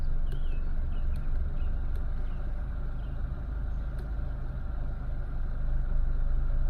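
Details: 2010 Renault Megane 1.6 petrol, 60,000 miles, after replacing the cylinder 4 fuel injector, spark plugs and one ignition coil to cure a misfire: low, steady idle with an even beat and no stumble or miss on all four cylinders.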